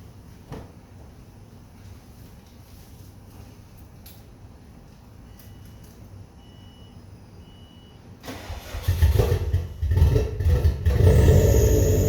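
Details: First start-up after rebuilding the heads: several quiet seconds, then a brief crank catches and the engine fires, climbing to a loud, slightly uneven idle.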